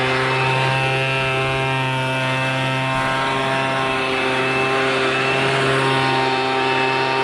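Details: MTD Bolens BL125 two-stroke leaf blower after carburetor repair and adjustment, previously bogging and not starting: steady high buzz with clean even pitch, no surging or sputter; running smoothly.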